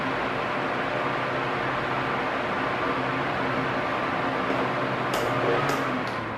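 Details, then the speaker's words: Arno Silence Force 40 cm fan, almost two years of use, at medium speed: a steady, even whoosh with no rising and falling, running normally. "Se o barulho tiver igualzinho, hum, não tem problema. É normal mesmo."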